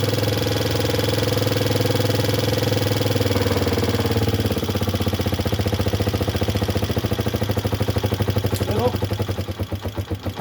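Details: Tricycle that stalled when given throttle, after adjustment: steady single-cylinder putter that picks up and revs without stumbling or dying; takes throttle cleanly, problem solved.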